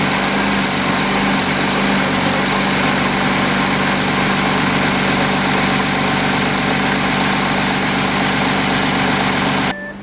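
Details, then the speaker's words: Audi A7 first start after fitting a new replacement engine: steady, even idle with constant hum, no knocks or misses, then a small rev; engine runs smoothly. "first start the brand new engine sounds good sounds good sounds good little Rev cool"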